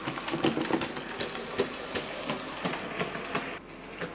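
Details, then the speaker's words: Model locomotive Sir Walter Scott, before repair: rough, irregular clunk-clunk about three times a second as it runs; caused by a split axle gear. "swap it there can you hear that clunking"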